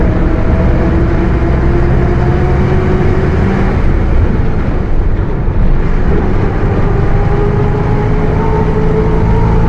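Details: Mercedes-Benz OF 1721 BlueTec 5 bus chassis with a Caio Apache Vip IV body: low droning growl under the engine, its tone rising and falling with road speed. Worn rear differential roaring.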